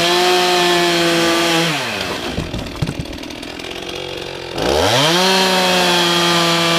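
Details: Stihl MS311 chainsaw rebuilt with a Chinese piston and honed cylinder after burning up, test run: crisp two-stroke screams at high revs, drops to a ragged idle, then snaps cleanly back up; strong, responsive, normal idle and revving.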